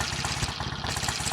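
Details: BSA A65T twin after fitting another coil, hotter BP6ES plug replacing BP8ES, and new plug cap to cure a misfire: steady low-pitched idle with evenly spaced firing pulses and no dropped beats; both cylinders firing.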